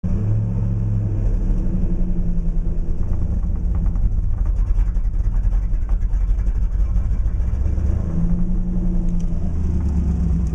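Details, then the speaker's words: 1987 IROC-Z V8 cold start after sitting a few days: a deep, uneven idle rumble wavering instead of steady, rpm fluctuating drastically from almost below 500, disappearing as it warms up; cause unknown. "so that the the RPM's fluctuate um from almost below 500 well right now it's warming up but it fluctuate quite drastically at idle and then as it heats up it disappears but I'm trying to figure out what's causing this"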